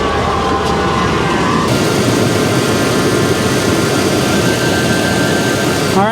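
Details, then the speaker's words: 2003 Toyota 4Runner 4.0L V6 idling just after replacing the serpentine belt and idler/tensioner pulley (worn pulley bearings): even, steady hum with no squeal, chirp or bearing rumble, much quieter than before, and the battery light is now off. Normal idle. "well the belt's on and it looks like it's in pretty good shape it's also a lot quieter than it used to be"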